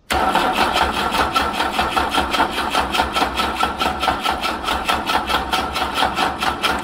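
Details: Wolseley 18/85 (BMC 1800 'Landcrab') pushrod engine, sitting for years, choke pulled and ignition reconnected: starter cranks evenly at about two and a half beats a second for seven seconds without catching. Owner suspects no fuel reaching the carbs yet.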